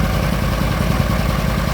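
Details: Argo ATV running after the fuses were replaced, with a new carburetor: steady low-pitched idle with an even pulse and no misses or surging. Normal idle.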